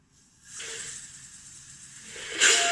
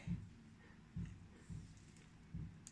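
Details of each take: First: Chevrolet Lacetti not starting cold on petrol; old fuel pump assembly bench-tested with compressor air on return line: steady hiss surging louder; relief valve opens about 3.8–4 atmospheres and works, but assembly itself leaks and won't hold pressure. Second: Chevrolet Lacetti new complete fuel pump assembly bench-tested with compressor on return line: handling clicks, then short sharp hiss as relief valve vents at about 3 atmospheres; system otherwise holds pressure, slight leak possibly from grip.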